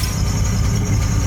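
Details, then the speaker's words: GMC Safari (Chevy Astro-type) 4.3L Vortec V6 with check-engine light and code P0305: deep, lumpy idle heard from underneath with an uneven stumble in the exhaust beat; cylinder 5 misfire worsening as it runs. "A Little Rock we got the light on and as it runs for a while you can really kind of hear the Miss oh I can feel it"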